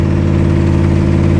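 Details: 1969 Corvette 427 V8 with Brodix aluminum heads, initial start-up idle: deep loping idle with puffing ticks from driver-side exhaust manifold leak (bolt head preventing seating), melted plug wires leaving cylinders dead; oil pressure about 70.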